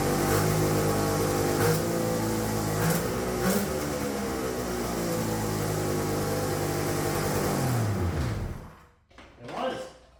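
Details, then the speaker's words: Turbocharged two-stroke triple on custom EFI (Spartan 2.0 ECU), during two-step testing: surges up and down on its own, revs hunting high and unsteady before cutting out; erratic revving from an open vacuum line, owner says. "oh I still got a vacuum that'd be why it's revving up all crazy let me fix that quick"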